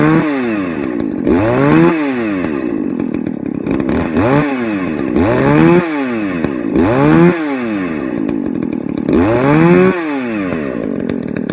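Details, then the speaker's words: Poulan 4218A chainsaw with the muffler mod, revved in short bursts after the cover is refitted: rough and burbly at the top because it now runs too rich and the carb needs leaning out. "see how big of a difference that makes you can totally hear it's running running rich now"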